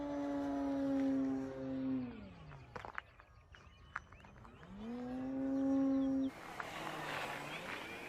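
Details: FMS Pitts electric RC plane after balancing prop and spinner and fixing loose parts, 6 mph wind, 48 degrees: clean motor whine drops in pitch passing, climbs on return, no buzz or rattle; noise gone, normal smooth flight.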